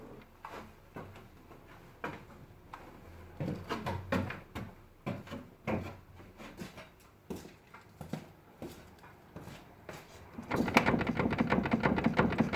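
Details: VW Passat B5+: irregular dull clunks in short bursts with engine off, from the lower end of a worn steering rack knocking.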